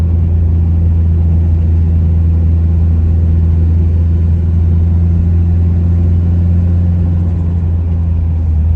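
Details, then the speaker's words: Mitsubishi Evo 8 MR with swapped engine, driving: deep even rumble with steady low drone, no knocks or rattles, boosts fine with blow-off audible; normal running after motor swap. "all right boys so we driving her now she seems good it runs good it boosts fine you can hear the blow off"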